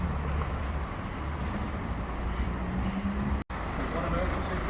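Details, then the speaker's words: 2015 Ford Grand Tourneo Connect van, slow test drive around a car park after new rear discs and pads were fitted: low, even rolling rumble with no scraping, rubbing or grinding from the rear wheels; the rear brakes are not binding. "I'll let you hear it and see the wheels turning, just to make sure the brakes work and they're not binding and all that."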